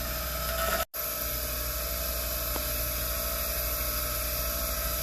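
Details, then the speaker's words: Rotary tool grinding the corner and bottom off a mismatched part to fit a Poulan PP4218AVX chainsaw with a no-start fault. A steady, high-pitched whirring grind with a brief cut-out, even speed and no stutter: the grinder runs normally. "just grind this corner off and some of this bottom because this bottom is flatter"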